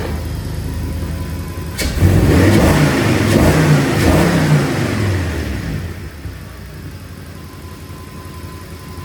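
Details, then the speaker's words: Audi S6, 118,000 km, after fixing a clatter from the steering: pulls away with a strong rev and cruises smoothly, no more knocking or clatter; steering wheel sits slightly left. "Jo, klappert nicht mehr."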